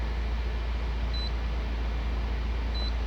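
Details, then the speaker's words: Fiat Novo Palio 2014 at warm idle: even, steady low idle while the electric radiator fan has just switched on at 97 °C coolant, with two short scanner beeps; injection parameters are all normal. "Temperatura do líquido de arrefecimento, o eletroventilador acabou de armar, né, na linha Fiat, 97 graus."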